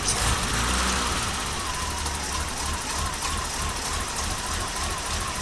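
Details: BMW E30 with a weird idle condition: the idle hunts unevenly with a faint wavering whistle over the engine; a suspected vacuum leak.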